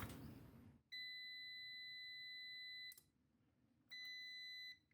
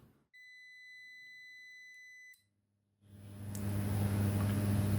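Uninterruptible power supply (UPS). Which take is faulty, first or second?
first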